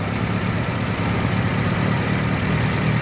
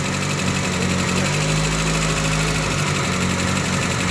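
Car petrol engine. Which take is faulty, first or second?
first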